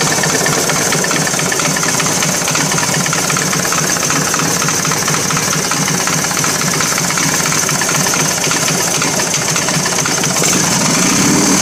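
Loud, busy V-twin idle with an uneven tapping running through it; a knock is suspected but the source isn't clear.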